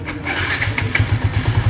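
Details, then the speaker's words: Yamaha Y15 motorcycle just overhauled to 62 spec with racing oil pump and Umar Racing 32mm back-pressure exhaust, air adjusted, airbox not yet fitted, ECU untuned; starts easily, settles to quick even idle thump, quiet exhaust; normal start and idle. "Alright, so alhamdulillah senang hidup walaupun ECU kita tak tuning lagi. Bunyi exhaust memang senyap back pressure."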